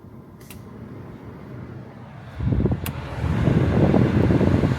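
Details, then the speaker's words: Toyota FJ Cruiser blower motor running after removing a tree nut that caused the fan noise; quiet at first, then a smooth steady rush of air building with fan speed, no rattle or ticking, healthy. "it was that tree nut that was in there that was causing that noise so I'm just I'm happy I'm really happy that I got that done"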